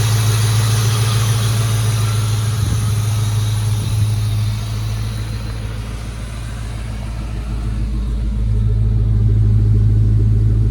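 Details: Ford Mustang GT V8 at idle after heater hose work (heater core cracked, coolant had dripped from firewall drain onto exhaust): smooth, even low beat with brief dip, no ticks or leaks; oil pressure up, normal idle.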